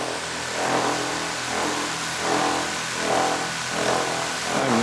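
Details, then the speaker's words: DJI Mavic Air 2 on aftermarket Master Airscrew propellers, idling on a metal table outdoors: steady motor whine swelling and fading about once a second as the drone shakes and rotates on its own; prop-induced vibration at idle. "all right so that was uh definitely definitely interesting as far as how that was vibrating on the table here"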